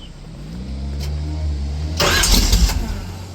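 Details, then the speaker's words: 1970 Chevelle station wagon with a freshly built small block: short crank, fires into a lumpy V8 idle, quick throttle blip revs cleanly and drops back; normal cold start. "Oh. Woo! She's spicy. Wow. It's a little bit heavy. I don't like to step on. It sounds like a Chevelle."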